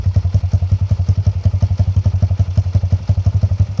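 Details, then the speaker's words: 2020 Kawasaki KLX110 with a TB 143cc big bore kit, BBR exhaust, stock airbox and stock jets: a deep, even thumping idle of about eight to nine beats a second, no clatter or ticking; healthy idle. "good idling. And there you can hear us talking about how good that new BBR exhaust sounds. It does sound really good."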